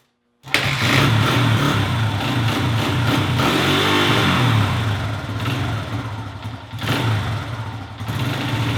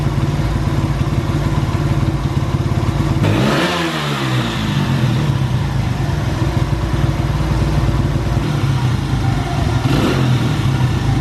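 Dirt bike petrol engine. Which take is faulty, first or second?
first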